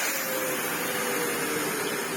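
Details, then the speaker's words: Sebo C2 Total upright vacuum with a broken wheel and chassis, running on its lowest speed after its airflow was improved: steady, even rushing air over a faint motor hum, and it still holds the hose up. Normal running. "Even on the lowest speed, it will still just about hold its hose up. It is very nice."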